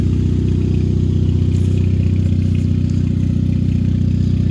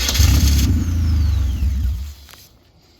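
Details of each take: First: Race car in a cold Montana trailer at about 20–25 degrees, running after a wire was wiggled and held to get it started; deep, steady low burble at idle, about four pulses a second, no misfire or tapping. Normal idle. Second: Race car being winterized in a Montana trailer at about 20–25 degrees; starter cranks about four turns a second while a wire is wiggled and held, engine barely catches then fades. Intermittent no-start, cause not pinned down.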